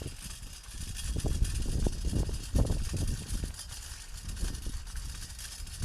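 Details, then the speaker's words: Empty new trailer being towed: irregular light metallic clatter over heavy wind rumble from loose split pins rattling in the hitch. "the only way I know it's there is cuz uh the split pings rattle as you'll hear in a minute so I'm going to run a bungee or something across the split ping just to hold them stop them from rattling"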